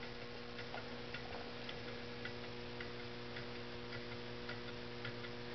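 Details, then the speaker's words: Homemade low temperature differential Stirling engine on cooling hot water: light ticks about twice a second over fluorescent lamp buzz; it makes a clunking sound, pivot points are JB Weld-filled connecting rod hooks. "can you hear it it does make a clunking sound i don't know if you can hear it over the buzzing of the fluorescent lamps or not"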